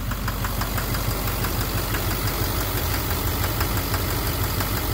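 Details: 2009 Chevrolet Duramax LMM dually with Allison transmission, new Suncoast torque converter fitted, idling with brakes on: sharp, loud metallic knocks about twice a second; injector knock or cracked flexplate suspected, source unknown.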